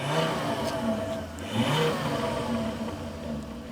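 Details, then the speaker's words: Volvo 5-cylinder turbo after replacing the spark plugs with NGK performance plugs to cure a bad misfire; quick revs rise and fall cleanly with only a few soft exhaust pops on the overrun, no misfire stumble left. "so your car was badly misfiring cuz now it pops a little bit of Pops so yeah man that that sounded that sounded pretty damn good not going to lie"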